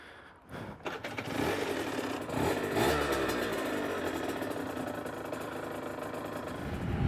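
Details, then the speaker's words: Aprilia RS125 1990s two-stroke, hot, riding after clutch cable tension was eased at the clutch-side adjuster: pulls away with revs climbing smoothly under load, clutch gripping, running sweet. "but she's running sweet, boy. Sweet, that pulled lovely."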